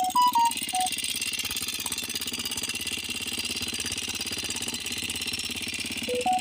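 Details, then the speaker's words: 2022 DM 250X motorcycle, single-cylinder, warmed up for a while: rapid even ticking over steady idle that never settles despite time for lifters to fill; top-end noise, cause not pinned. "prende, se mantiene, pero le sigue el ruido acá."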